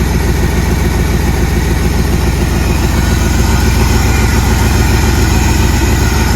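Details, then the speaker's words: 1979 Jeep Cherokee AMC 360 V8, idling after first start in 3 years; carburetor barely working. Strong, regular burble at about three and a half pulses a second, steady and even; smooth, healthy, normal idle. "That's a smooth running little 360, guys. That's pretty good for not having ran for 3 years. Pretty happy with that."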